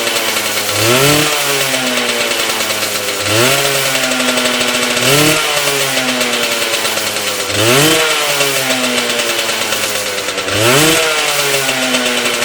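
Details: Yamaha 125cc engine in old Tunturi moped frame, blipped every couple seconds with revs rising and falling, harsh rasp under it; grinding when clutch pulled, cause unknown, small oil leak between engine cases.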